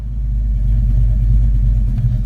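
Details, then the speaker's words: Engine idling after O2 sensor fix that cured excess fuel robbing power: deep, steady low rumble with no misses or hunting; idles smoothly and seems happy. "it idling right there it seems happy"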